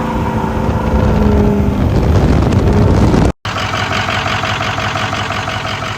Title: 6.0 rebuild begins been fighting this misfire way to long